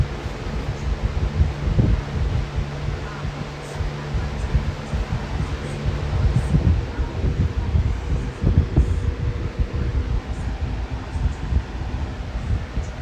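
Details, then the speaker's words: Air King 9723 box fan with a Weather Shield motor, after swapping the loud 3733 blade set for the 3720 Weather Shield blade set (guards warped), on low speed: a low, steady whoosh and hum with no rattle, tick or scrape. Normal running. "so now that's what low speed is supposed to sound like not like how it sounded when i very first got it with the 3733 blade said it lascal"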